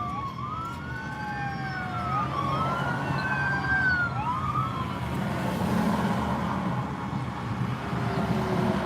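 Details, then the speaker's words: Inside a vehicle in an accident traffic jam: rising and falling siren wails sweep up from behind over steady traffic rumble as a state trooper works through the jam. "here are emergency vehicles somewhere probably come from behind"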